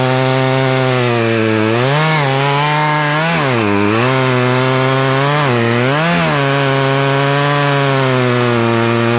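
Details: Poulan Pro two-stroke chainsaw, owned about 12 years, cutting a log after seasonal clean-up: high buzz dips and recovers cleanly each time the chain bites, with the popping sound the owner likes; healthy saw cutting well and quickly.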